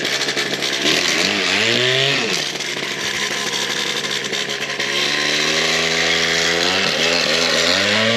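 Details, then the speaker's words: Old Bigfoot GoPed two-stroke running after sitting over 4 years, still untuned. Buzzy revs climb then sag unevenly with wavering pitch instead of pulling cleanly; bogging, running rough. "yeah that's not running healthy at all so we got to figure that out"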